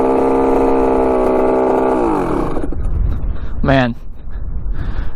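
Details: Rebuilt 1985 Yamaha YZ80 two-stroke dirt bike, warm, passing by: a crisp, high-revving pull, then the revs drop and it passes again, strong and even with no misfire. The silencer is not working well. Normal running.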